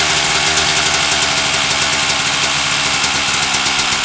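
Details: 1997 Suzuki RM250 two-stroke after header pipe dent repair, started with choke: sharp, crackly running at fast even pace, no knocks or misfires; healthy.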